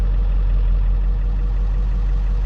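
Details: 2002 Ford F350 Powerstroke diesel that idled with no throttle response and dead gauges and dash lights: after gauges came back, deep, steady diesel rumble holding an even idle with no hunting or misses; idles normally, cause still unknown.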